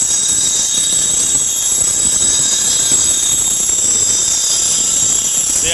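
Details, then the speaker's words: Reel mower reel on a grinder, reel speed slowed to under about 400: steady high hiss of stone on blades, even across the reel with no catch or scraping; normal even grinding contact after reducing speed. "i've gotten rid of that rare type of noise and now it's pretty even all the way across"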